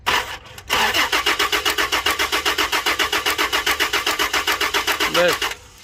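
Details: Toyota Land Cruiser V6: starter cranks evenly, about four turns a second, for nearly five seconds but engine never catches; crank no start, fuel pump relay in question, cause not confirmed.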